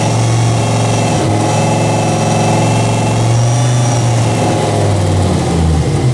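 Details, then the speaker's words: Dodge Ram SRT-10 (Viper V10 truck) newly fitted turbo kit with 3.5-inch downpipe, first untuned start: loud, lumpy running with a raspy, puffing edge over deep exhaust note; leaks at old-gasket flange and possibly V-band collector. "there's a couple of exhaust leaks I gotta deal with there was uh right here I kind of knew about the flange was leaking because that old exhaust gasket"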